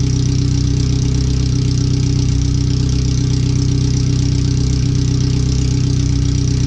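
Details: First startup after new header, fuel filter and differential work, O2 sensors moved and wideband bung added: very loud, hard idle with fast even exhaust pulses, open header with nothing fitted after it; computer read 5–7% rich at idle.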